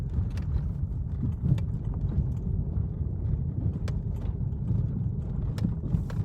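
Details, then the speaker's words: 1997-2001 Chevrolet Vectra B rocked by hand: rear suspension now quiet apart from low rumble and faint clicks; the interior knock over bumps was fixed by replacing the stabilizer bar bushing after shocks, bump-stop kit and bushings failed to. "você vai encontrar Aí talvez aí como eu encontrei depois de do anos o porquê desse barulho chato n no carro a bucha da base estabilizadora resolveu ó ó"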